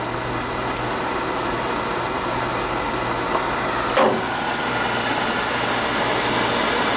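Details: Oil furnace with delayed oil valve, restarted after drawer assembly reset to proper distance in retention head (was too far back, sooted up): steady even roar with low hum, no pulsing or puffing; burner firing normally.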